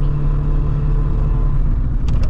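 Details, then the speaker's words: Corsa B GLS 1.4Si four-cylinder petrol on a cold day, pulling uphill; low lumpy rumble with a missing beat, running on three cylinders, owner hopes it's a coil pack. "four cylinders would be flying up the hill be gone by but it's not it's just running and very three all the time so have to find out what's"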